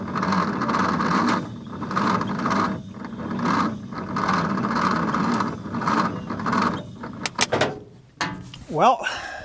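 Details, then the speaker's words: 1950 Nash Statesman engine, unrun for 23 years and stiff, cranked on its 6-volt battery: slow laboured cranking at roughly one heavy beat per second, never fires; stiff engine too much for the 6-volt supply; slow cranking, no start. "that's not good. But we do have another option. It's stiff. It hasn't run in a lot of years in 23 or something like that to be exact."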